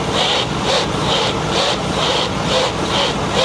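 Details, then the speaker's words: Ford Super Duty truck, front end with rusted linkage: steady light popping about twice a second while the steering is rocked. The drag link is visibly moving up and down and the play is felt in the wheel, a worn drag link. "Okay, the oscillation is okay, but what I don't like is is the popping up and down it's doing."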